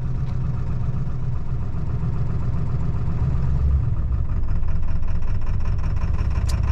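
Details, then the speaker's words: 2002 Ford F-250 7.3 L Powerstroke diesel, cold start: normal idle at first, then about two minutes in it falls on its face into a lumpy, loping idle as if running on about half its cylinders; truck shakes violently, no power. "it just kind of falls on its face still runs but it's really rough"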